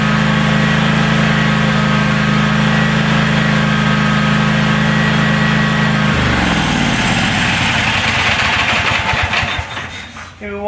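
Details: DR all-terrain brush mower, 17 hp Kawasaki, after carburettor cleaned, no choke: even, steady drone for six seconds with no stumbling or surging, then shuts down and winds off; runs cleanly.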